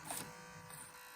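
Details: Pioneer MSSS1 "Silver Stereo" car cassette deck from a Mazda Miata, awaiting new pinch rollers and belt: faint, thin motor buzz keeps going but the tape isn't transported; the mechanism motor runs without moving the tape, so the deck doesn't work.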